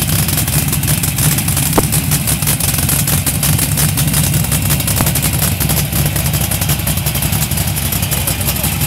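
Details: LS1 V8 in a Datsun 240Z: deep, lumpy, uneven loping idle at about three pulses a second instead of a smooth rumble; rough idle, cause not evident.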